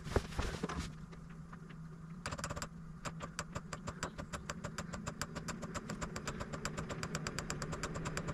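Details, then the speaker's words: Newly installed diesel air heater at first start: glow plug warms, then the fuel pump ticks steadily at about seven regular clicks a second over a soft fan hum as it ignites, with possible smoke from curing exhaust paste; normal startup and running. "So it's going to start by warming up the glow plug. Once the glow plug's up to temperature, you'll hear the fuel pump kick in, and then it should ignite."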